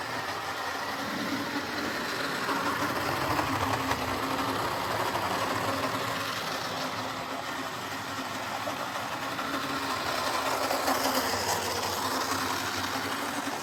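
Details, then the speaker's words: Jouef (or possibly Playcraft) HO scale Class 21/29 model locomotive after repair, with its original motor, run on the layout. A loud, coarse whirring buzz swells and fades as it runs round. Normal running, noisy gearbox. "So, well, as you could hear there, this sounds a bit loud and it's running very rough."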